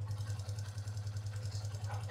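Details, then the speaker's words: Y15 motorcycle at 14,597 mileage, idling with no throttle before a top set: fast, even light ticking (tik tik tik) over a steady idle thump, keeping pace with the engine; loud tappet noise from loose valve clearance. "Okay, itulah bunyi tepet. Tik tik tik tik tik tik."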